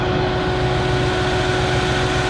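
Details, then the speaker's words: 2000 Jaguar S-Type 3.0 V6 with many codes, misfiring badly: uneven lumpy idle under a screaming fan; touching exhaust manifold shows cylinder five not firing at all while cylinder four is getting hot, a dead cylinder. "yes gotta hot and yet number fives are firing at all number four is getting hot"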